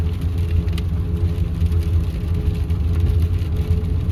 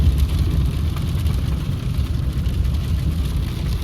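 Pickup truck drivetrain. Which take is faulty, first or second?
first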